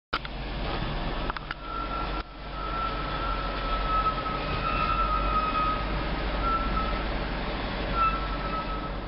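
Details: 2008 Audi Q7 4.2 while rolling: thin, steady high-pitched brake squeal over low rolling noise for the whole pass; cause unknown.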